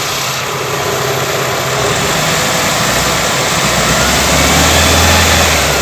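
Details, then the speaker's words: Toyota Corolla Twincam liftback gen 2, engine revved in place: smooth even note rising with revs, no knocking, rattles or crackle under throttle; engine healthy, mounts steady. "masih halus ya Kalau ada masalah pada mesin biasanya ketika dicas ada meletek atau suara-suara lain tapi ini benar-benar alus"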